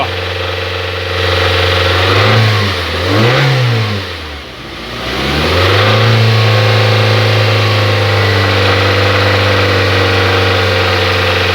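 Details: 2009/2010 Hyundai Tucson 2.0 16-valve, 137,000 km, noise in engine: idles, then revs rise and fall twice; extra noise rises with revs, cause not yet known; engine noise when revving.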